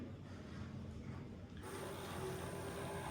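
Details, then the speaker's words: JC2C printer (Jay's Printers) running its pre-programmed first-inking cycle: quiet steady pump whir rising in level partway, no grinding or knocking; normal first ink fill. "Still pumping, still pumping. Going to do this for a minute on its own since it's the first time. It's a pre-programmed software to do all the first inking and cleaning."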